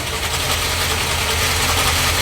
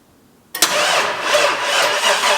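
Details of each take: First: XB Falcon MFP Interceptor replica, long non-running, first start after getting fuel to the filter: steady idle with loud busy metallic rattle like a nut flung around the water pump; normal direct gear-drive cam timing instead of a chain. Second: Non-running Ford XB Falcon interceptor replica in park, cranked after a flat battery had a minute to recover: harsh, uneven-sounding cranking pulses about three per second, never catches; abnormal starter cranking noise, cause unclear.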